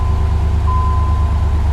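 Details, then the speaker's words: 1993 Chevy Caprice V8 started after chip install, timing set at 6° BTDC, service engine soon light on: catches quickly, no usual long crank, and settles into a deep steady idle without stumble or hunting, music in background; runs healthy. "sounds like she runs good no hesitation no stalling no rough idle but fires right up now my goodness"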